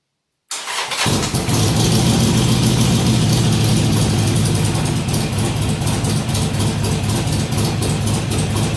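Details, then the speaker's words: Harley-Davidson XR1200 V-twin cold start after throttle body work and tuning changes: it catches at once and settles into a steady idle with no hunting. The cold idle issue is fixed. "well that's the best that thing I started up and just idled without messing around since I've had it you can see there was no uh there was no hunting around it just fired up settled into an idle and didn't mess around after that"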